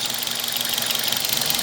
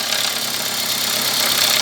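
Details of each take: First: Toyota Corolla (Brad), warm after running with oil refilled between min and max: even idle with fast regular beat, earlier top-end noise gone, faint slight misfire remains; the noise was caused by low engine oil level. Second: Toyota Corolla with fast light ticking clatter at idle from the top of the engine; oil level found below the dipstick, valvetrain starved of oil from low oil level.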